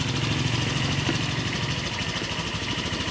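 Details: Honda Vario 150 LED scooter after its faulty throttle position sensor was replaced and the ECU reset: even, steady idle with a smooth low putter and no misses, hunting or knocks; it is running normally.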